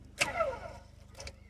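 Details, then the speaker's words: Electronic parking brake caliper motor powered directly from a 12 V battery through jump leads: two sharp crackles as the lead touches the terminal over a faint steady low buzz as it drives the piston fully out. "So now that we've attached that to that, you can hear it's come all the way out as far as possible."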